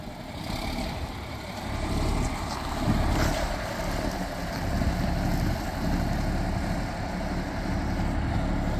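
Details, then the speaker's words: John Deere 4440 diesel tractor, just restarted after sitting about 12 years, runs with a steady, even clatter at constant speed under some wind noise, no knocks or misses; sounds really good, a healthy engine. "great hopefully there's not too much wind noise wow sounds really good"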